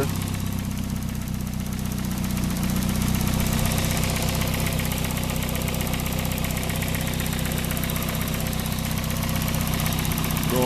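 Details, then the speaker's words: Daihatsu with suspected worn alternator bearing, idling with the drive belt removed: steady low idle with no rumble or whine from the front of the engine, confirming the earlier noise comes from the alternator. "the same noise, so we know exactly that is the alternator giving the problem."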